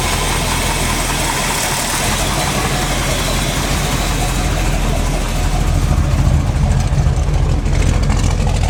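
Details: Freshly built SBC 350 V8, in gear with a vacuum gauge fitted, 10:1 flat-top pistons, aluminum 64cc heads, Edelbrock 600cfm carb: rough idle with a steady low knock that stays with each plug wire pulled, plus occasional ticking possibly from the carb; owner suspects piston slap or flexplate.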